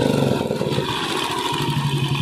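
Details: Royal Enfield Classic 350 Bullet revving: a steady single-cylinder thump that picks up cleanly with the throttle, with only light valve clatter and no knocking; the engine sounds healthy.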